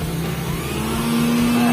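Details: Philips blender after replacing the broken, burnt motor drive connector (blade previously would not turn): smooth steady motor hum rising slightly in pitch as it spins up, even and free, no rubbing or grinding; normal run.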